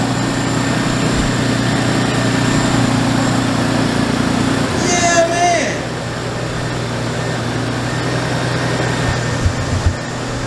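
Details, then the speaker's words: MK3 Toyota Supra six-cylinder running for the first time in about two years, after the fuel pump was plugged in: a steady, even idle with no misfire and no smoke; it runs healthy. "that's how it's done baby it runs and it sounds good doesn't sound like it's missing or nothing"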